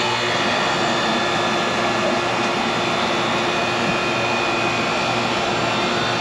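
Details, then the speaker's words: In-wall AC that would not run, now running after the worn-out capacitor was replaced. A constant airy whoosh with a steady hum underneath, no surging, stalling or buzzing; normal running. "Sounds like it's running. Yeah. Yep, that's all I need to do. That little bit of cap was just wore out on it."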